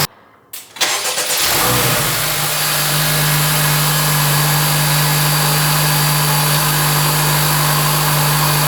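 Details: 2024 Acura Integra Type S (FL5) turbo four with a new Sprint air filter replacing the stock one at 200 miles; catches quickly, then settles to a steady, even idle hum with airy intake hiss and no knocks.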